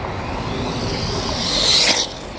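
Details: Arrma Kraton RC on its first 8S run with a capacitor pack fitted; a high motor whine rises sharply during a short full-throttle push, then drops away, pulling cleanly: normal running.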